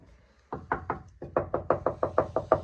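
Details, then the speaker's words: Subaru Justy panel after KillMat sound deadening applied with firm adhesion: knuckle taps give short dull thuds that die away at once with no ringing; panel well deadened. "Making sure to get a real good adhesion there. I'll see what it sounds like. See how it's not ringing?"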